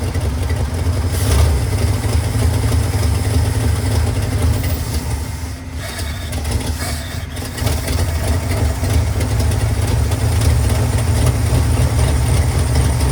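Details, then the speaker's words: 1978 Ford F-150 plow truck, old V8 just running again after a year sitting, carb rebuild and fuel hose splice; lopes unevenly at idle with a dip and recovery; throttle sticky, owner suspects vacuum leaks. "the throttle is a little sticky uh and I think we have a few vacuum leaks maybe but I am"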